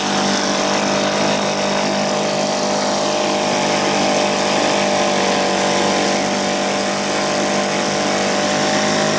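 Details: 1980 Johnson 2 hp two-stroke outboard running after a complete teardown and rebuild that fixed a stripped crankshaft and cracked coils. Steady speed with an even, unbroken note and no misses or knocks; healthy.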